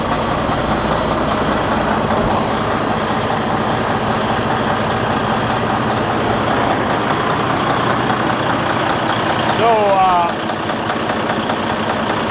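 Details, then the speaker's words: Detroit DD15 diesel at idle, no check-engine light: irregular light tapping two or three times a second over steady idle, as if something in a cylinder or connecting rod is hitting; found to be a broken cylinder liner. "I don't know if you can hear that tapping noise that this engine is producing. It's a very unusual sound. It is like something inside a cylinder or a connecting rod is hitting each other."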